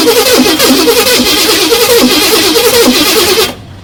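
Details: 1979 Pontiac Trans Am parked in a garage for over a decade, starter now working: steady fast cranking for about three and a half seconds that never fires. Fuel starvation; gas is about to be poured in.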